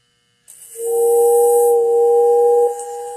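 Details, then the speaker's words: Girard whistling station powered by a 1937 Lionel Type A 40-watt transformer on setting 3, 10 volts: after the button press, a loud steady whistle holds one clear pitch for about two seconds, then cuts off cleanly. Normal whistle operation. "don't know if you hear that, but it is a nice loud whistle, and it works quite well."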